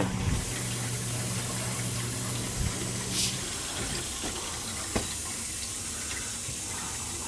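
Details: Gas boiler hydronic system with no heat to second floor, zone purged through a hose into a pit with the zone valve head bypassed: steady rushing water with rough uneven sputtering as trapped air is purged; zone air-bound.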